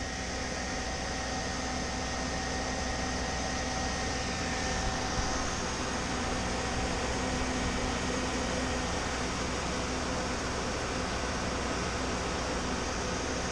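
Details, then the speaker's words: Chevy G20 van with new electric fan replacing stock fan, fused relay and temperature switch, engine warm: steady airflow rush over quiet idle, no rattle or scrape; fan cuts in near 200°F and off near 190°F; normal operation. "it's coming on when the engine itself gets up around you know 200 and then it shut off when the engine went back down around 190 it's absolutely perfect"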